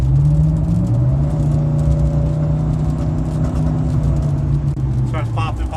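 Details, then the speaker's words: Chevrolet Silverado driving at full throttle, heard in cab: loud, rough drone with irregular pops breaking through while bogging; owner suspects spark plugs and wires, cause unconfirmed. "popping, popping. It might be my spark plugs and my wires. Everybody keeps telling me it might be that."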